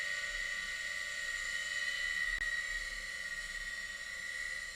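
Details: Hard drive of a Macintosh SE with an Applied Engineering TW1340 board spinning up after the startup chime, before the Happy Mac; steady high whine over faint hiss, no clicking, likened to grinding corn but normal.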